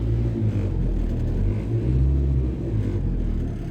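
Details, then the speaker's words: 1997 Renault Twingo Mk1: deep engine rumble swelling with throttle blips, loose metallic clatter on throttle alone; rattle cause unconfirmed. "sadece gaz vermekle böyle Vay Anam Vay tankırtıya bak arkadaşlar"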